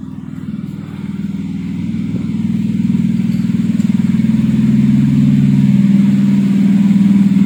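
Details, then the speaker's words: Kancil converted to Japanese AVY turbo engine, freshly started: even, regular idle pulse about four beats a second, building slightly as it settles, no misses or knocks. Engine okay, no smoke; initial exhaust smoke has cleared. "Okey, enjin okey. Tak ada masalahlah. Enjin ni tak ada asap."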